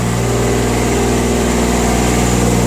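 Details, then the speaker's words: Jacobsen Turfcat diesel revived after two years sitting, started on glow plugs and idling a few minutes: steady diesel clatter at even idle, no misses or knocks; runs fine. "We've had the thing idling for a few minutes. Make a little bit more noise there."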